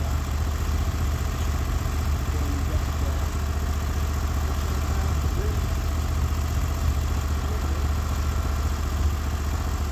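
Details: Norwood HD36v2 bandsaw mill with new roller guides replacing the ceramics, cutting a big black oak block into 1.5-inch slabs: deep steady engine drone, no surging or laboring; cut flat and effortless, loading the motor normally.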